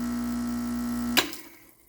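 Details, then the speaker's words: Gaggia Classic Pro espresso machine after PID and OPV installation: pump drone cuts off, then short sharp hiss of released pressure fades as the three-way solenoid valve spits; venting normally. "And then you can see the three-way valve is doing its job. It's spitting out there."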